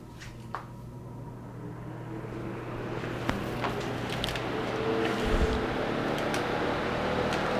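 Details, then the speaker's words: Dayton/Grainger 2MA11 24-inch floor fan on low after swapping to an 8 µF capacitor, reassembled: much slower, around mid-50s dB, starts reliably; soft even hum with no rattle or buzz, normal quiet running. "much more palatable than it was again much slower but i don't need a lot of airflow in this garage anyway"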